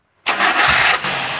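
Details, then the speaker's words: 2014 Daihatsu Gran Max 1.3 pickup: quick crank, engine catches cleanly and settles into steady, even idle with no ticking or odd noises, then revved; engine normal, no exhaust smoke. "Nah itu udah di starter suara mesinnya aman Ya normal ini stasioner coba digas geber terus nah nah itu kondisinya untuk mesinnya aman ya"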